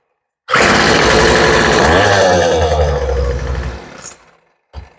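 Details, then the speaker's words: Weed eater two-stroke after carburetor replacement and low-side mixture turned richer: buzzes up cleanly, holds steady revs, then winds down; sounds healthy after the fix. "that sounds a whole lot better there okay very nice"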